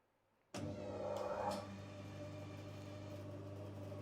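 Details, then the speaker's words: Bandsaw switched on after a blade change, before cutting; switch-on thump then smooth steady low hum at even pitch, no knocks or rubbing, blade tracking well. Running cleanly. "I'm going to check that the saw is running correctly. It's going to stand out of its way and turn it on."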